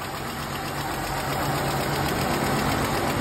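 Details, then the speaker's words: Ram Promaster petrol V6 at idle: sharp tick about four times a second from a bad lifter, with a misfire on cylinder one; fix requires pulling camshafts to reach lifter followers and rockers. "that is not the sound of direct injection. That is a bad lifter. It's a misfire on cylinder one."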